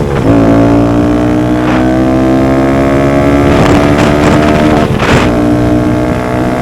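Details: Honda Grom cruising after DHM S1 camshaft install with aftermarket exhaust: smooth steady buzzing note holding even at cruising speed with wind gusts; holds the 60s much stronger; normal running.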